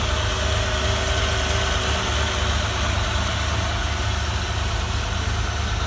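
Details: 1972 Ford Bronco at its first startup after a top-end rebuild and wiring restoration: a deep, steady V8 idle with an even low rumble and no knocking, charging at 14 volts; normal idle.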